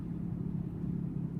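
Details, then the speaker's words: 2006 Chevy Uplander driving at about 40 km/h with a steady low droning hum/grinding under road rumble, worse turning left and nearly gone turning right; worn front wheel bearing, believed passenger side. "I'm not sure if you can hear in the video but there's a grinding noise and what I found is that when I turn the left"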